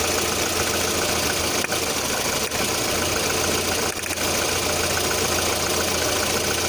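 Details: 1.6 8-valve petrol engine at a steady idle with a light, uneven tapping of about three or four a second; the owner reports a knock at idle, sometimes on adding throttle at start-up, with the source not pinned down.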